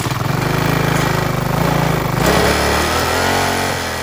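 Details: Restored rusty 3.5 hp Briggs and Stratton single-cylinder flathead, first run after rebuild, throttle worked by an added cable: a fast, even putter that smooths as the revs rise slightly, with no misfires or knocks; normal running.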